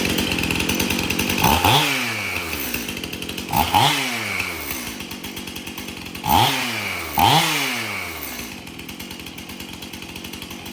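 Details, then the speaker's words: Stihl MS 271 chainsaw, previously hard to start, after tank found clean and fresh mixed fuel added: four sharp throttle bursts from steady idle, each winding up crisply and dropping back cleanly; healthy idle and rev. "Okay, so the saw will now idle and rev up. It runs pretty good."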